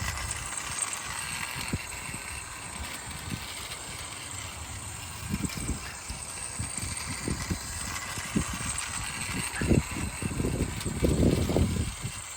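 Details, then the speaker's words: PS Models Hudson loco under build, test run on old rusty track: light uneven clicking of wheels over track joints under faint motor hum; runs round smoothly in correct direction. "but anyway um the little train ran rounded okay uh doubly confirming that it is running in the correct uh direction as well which is what I wanted to see"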